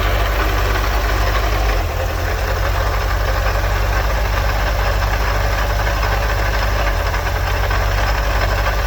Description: My 1984 1.9L water cooled Vanagon making a strange noise.. possibly coming from the water pump pulley.